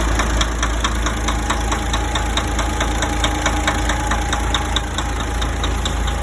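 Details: DAF 105 truck diesel idling: sharp, fairly regular tapping about ninety times a minute over the rumble; engine knock, cause not yet known.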